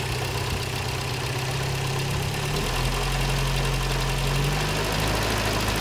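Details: 1956 Triumph TR3 four-cylinder engine at idle; light, fairly regular knock about two or three times a second over steady idle; cause unknown.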